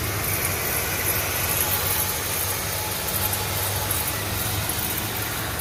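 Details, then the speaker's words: VW Routan in drive at idle with the brakes removed so the pads cannot add noise; customer heard a worn-brake-like sound: steady low rumbling growl from the spinning front hub. Worn wheel bearing. "voy a hacer sin frenos a ver si se puede escuchar un poco más para ya eliminar lo que es el ruido de los de las balatas y todo eso y que quede el puro valero"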